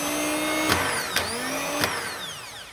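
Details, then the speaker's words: BMW Airhead starter motor tested on the bench with battery clamps: three short bursts, each clacking in as the solenoid engages the dog, whirring up and winding down smoothly with no grinding; starter and solenoid working. "just bring the solenoid in it in turn will bring in the starter motor and engage the dog if i can just force it"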